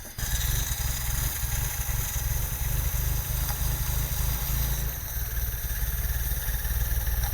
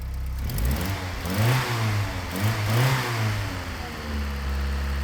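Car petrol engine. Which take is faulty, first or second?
first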